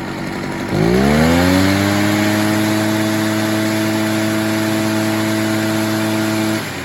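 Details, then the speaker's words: About 25-year-old Echo PB403T backpack blower after air filter replacement for a no-start, choke off: after four-stroking, fuel was leaned slightly, and it fires at once, revs up and settles into a steady, even high idle with no stumbling, normal running. "she was four stroking a little bit so I gave it a little less fuel let's see if she stays not for"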